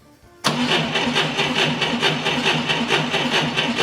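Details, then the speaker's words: Engine with meter on battery: cranks at even brisk beat of about four compressions a second with little voltage drop; normal cranking speed. "ad very little voltage deflection audibly we had a very good cranking speed"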